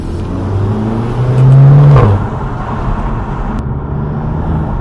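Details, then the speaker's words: Audi TT with a newly fitted performance turbo inlet/intake, driven on the road: the engine pulls hard with a rising drone, then a quick fluttering chuff as the throttle closes; normal turbo flutter. "Yeah, did you hear that? The Yes. Choo Choos. Sounds good, boys."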